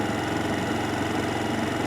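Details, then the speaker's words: Venom X21 125cc four-stroke pocket motorcycle idling just after start on partial choke, warm day, before choke is taken off: smooth, even low putter with no misses or ticking; normal warm-up idle. "And now once the bike has had a chance to warm just a wee bit, because again it's a beautiful day here in Ottawa, nice and warm out, we can take the choke off completely."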